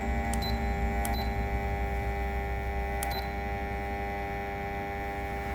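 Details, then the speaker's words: Fan after installing replacement control board (possibly a copy): steady even motor hum with short beeps as settings change; motor spins and runs healthy. "Let's see, on speed. Ah, the motor's spinning."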